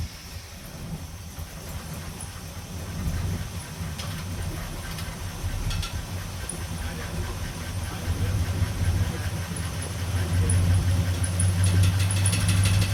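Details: 1969 Chevrolet C10 with a 396 big block that had sat for roughly 20 to 28 years, after setting the timing and wiring the ignition. Low, steady V8 rumble with an even beat that builds slightly toward the end, no knock or miss. Runs well; high mileage, leak noted.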